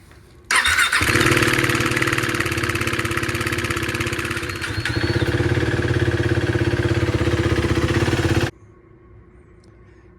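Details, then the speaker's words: 2016 KTM Duke 390 single-cylinder that started making weird noises on the ride home from work: on startup it gives a loose, fast metallic knocking clatter over the idle. The cause was a failed timing chain tensioner, before replacement. "I'm gonna show you what it sounds like. Alrighty, here it goes. Yeah, it's terrible. This knocking sound,"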